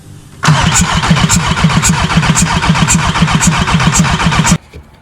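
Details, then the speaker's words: VW 1.9 TDI diesel on first start of the build: steady starter cranking at about four beats a second for four seconds, never catching. First suspected the crankshaft position sensor, replaced it with no change; diesel fuel lines were connected backwards. "donc comme vous avez pu voir dans les accélérés on a essayé de faire démarrer la voiture la voiture ne démarre pas"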